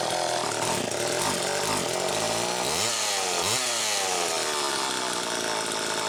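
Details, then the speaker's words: Husqvarna-type chainsaw? "okay well brian that makes me feel a hell of a lot better quite frankly just to hear it run"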